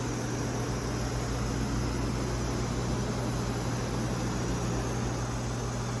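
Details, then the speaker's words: Nextech Excitech Osai R300 4x8 CNC router with servo drives and high-speed helical rack traversing the table at a decent speed: smooth steady whir, low hum, no clicking or grinding, nearly silent even though the racks and pinions haven't been greased; normal gantry motion. "You almost can't hear it. Super smooth running."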